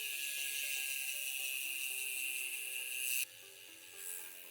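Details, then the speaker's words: Poseidon Triton road bike fitted with 40 mm tires, which previously barely rubbed the frame: the spinning wheel gives steady ratchet clicking with no scraping; it now clears the frame. "don't hear it rubbing anymore."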